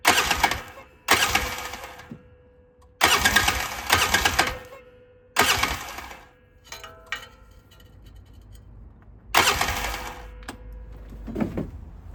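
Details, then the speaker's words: 2009 Polaris RZR 800 parked about 5 years; several short bursts of cranking with pauses, engine never catches; cranks but won't start. Both cylinders have spark, lights work; owner suspects fuel pump failing from sitting. "They both got spark. Let's check if the lights work real quick. Yep, they do. My guess is that the fuel pump's going bad from sitting."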